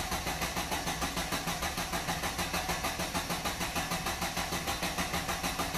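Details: Engine cranking during relative compression test using a CR filter and ignition trigger clamp on an oscilloscope, firing order 1-3-4-2: even, rhythmic cranking at about three and a half beats a second, no skipped or weak beats; compression balanced.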